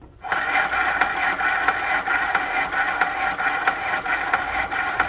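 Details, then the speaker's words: Juki LS-1341 clone industrial sewing machine winding a bobbin: steady motor whirr with a fast, regular light ticking about five times a second; owner suspects the belt guard is rubbing. "And it sounds like my belt guard is rubbing."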